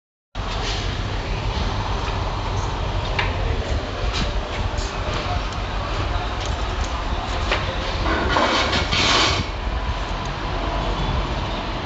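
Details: Honda Civic with a steady, heavy rumble, a rough rattling edge and scattered clicks, from a worn clutch release bearing; the clutch plate is also mentioned.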